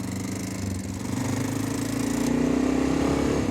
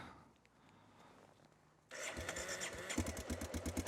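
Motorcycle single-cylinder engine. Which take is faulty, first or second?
second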